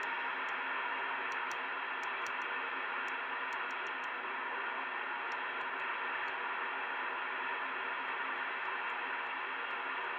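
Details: Amateur radio FT-4 receiver indoors on 2 m band (144.000–145.990 MHz), own gateway off: steady hiss with faint irregular high ticks; local interference (QRM), owner suspects about seven telephone lines over the property, not confirmed.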